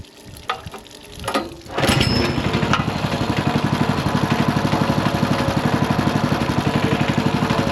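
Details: Ridgid RD80770 3800 PSI pressure washer after carb and fuel filter cleaning: a few pulls, then a steady, even chug about four beats a second, no misses; some smoke, owner suspects worn rings burning oil; normal running.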